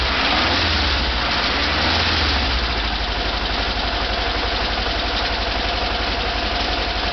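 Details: VW Type 4 air-cooled 2.0 L flat-four idling with a sharp, steady knock, about four raps a second. Cause unknown; recorded for remote diagnosis.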